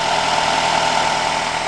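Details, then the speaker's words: 2006 Nissan X-Trail idling right after crank position sensor replacement with a non-OEM part: smooth, even hum with a steady low drone, no misses, knocks or hunting. Starts first try and runs like a charm, repair successful. "The motor is purring, starts the first try, and that's how it's done."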